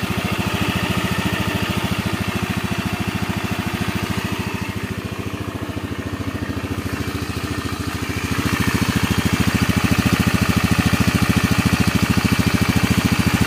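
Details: Honda Beat FI scooter after engine rebuild for rough, growling noise from worn left crankshaft bearing: even, regular firing at steady idle, blipping slightly near the end, no growl; engine now smooth, though oil pump weak and CVT needs parts.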